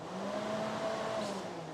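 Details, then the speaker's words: Porsche 944 radiator fans, high fan triggered by manually closing its relay: steady whooshing roar with faint motor tone rising slightly; fans work, so fault is suspected in the radiator temperature sensor or relay. "So the good news is we know that just from starting from bare basics, do the fans work? We can say yes, the fans do in fact work."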